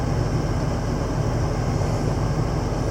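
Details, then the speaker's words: 8530 tractor at startup: steady low diesel rumble at idle with no knocks or grinding while the transmission calibrates, which it normally does when started. "the transmission is calibrating on the 8530 that is something that it will do when you start her up"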